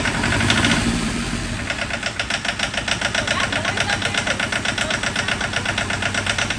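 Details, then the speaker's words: John Deere 650 4x4 tractor diesel, first start after budget rebuild, still bleeding air from fuel lines: rough, regular knock about four per second at idle, uneven in strength; owners think it's just fuel/air in the line. "like sounds like it has a knock that is not a ninja no I mean it's just fuel now just a fuel line"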